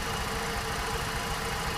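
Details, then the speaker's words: 2008 Sport Van 1.6 L: uneven, lumpy idle with irregular low thumps, no spark on two cylinders; tester shows the ECU not delivering coil driver pulses at the correct level, causing misfire. "pueden observar que únicamente parpadea un bioder ya no parpadean los tres sí observa recial Sí es correcto profe Entonces qué significa significa que yo en este momento estoy detectando que la computadora no me está entregando los pulsos del nivel correcto"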